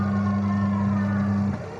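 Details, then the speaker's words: Twin-tub washing machine that had only hummed without turning: after the swollen capacitor was addressed, a steady mains hum as the wash motor runs evenly, then winds down. Motor now turning properly. "Kita coba pencucinya ya. Ya, sudah nyala ya."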